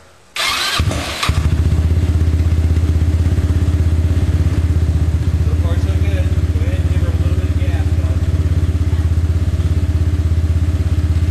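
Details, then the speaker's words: 250cc MRP buggy go-kart after a Dr. Pulley variator install with the CVT cover refitted: the engine cranks, catches and settles into a steady, even idle with no pinging or rattle. "sounds good no pinging noise another mrp install you"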